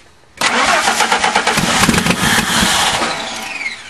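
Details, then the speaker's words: 1998 Ford truck that sat a year and a half unused, new battery fitted, cranking with throttle held: starter spins steadily about three seconds with no catch and no fuel pump hum; crank no start, fuel pump later found seized in the tank. "try it don't hit the throttle away no he's working the throttle yeah she got no fuel yeah fuel pump's not turning on shut the key off"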